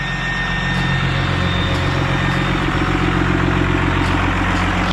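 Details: VGT-turbo 12-valve Cummins diesel idling on a hill while bleeding coolant and warming up, exhaust heard; steady even low rumble with no puffing or ticking, healthy exhaust with no leaks.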